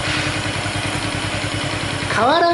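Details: Honda Chaly motorcycle engine, previously rebuilt, idling then throttle blipped after cam chain tensioner check: rapid regular clatter rising in pitch with revs; source unclear, owner suspects cylinder head; engine rattle.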